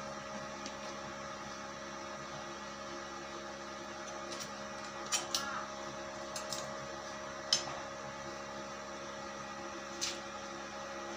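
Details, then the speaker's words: Daesung ARC120E 900 W stick welding transformer, over two years old and rarely used, 2.0 mm RD460 rod on 1.2 mm hollow steel: steady electrical hum with sparse sharp crackles, the arc holds evenly without the rod sticking. A normal stick welding arc. "nah ini hasilnya mantap ya Hai sepertinya matang nih rasanya dan kaosnya juga tidak lengket gitu pada saat pengelasan"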